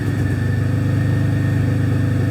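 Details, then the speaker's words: Possibly 2006–2008 Pontiac G6 (complaint: runs rough, check engine lights, antifreeze smell) idling during a scan-tool cylinder balance test: smooth, steady idle with an even low firing beat and no stumble, tick or knock; all injectors confirmed working. "you hear the change in the pitch of the motor we can disable and check all of our cylin our injectors so we know we're getting all of our we know that we're getting all of our injectors working"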